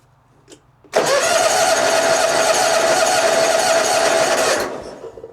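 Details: 2004 Hustler zero-turn mower, cold at about 39°F, choke fully out, jump pack connected: starter turns the engine steadily at about four compressions a second for nearly four seconds, never fires. Crank no start; no spark, ignition grounded out.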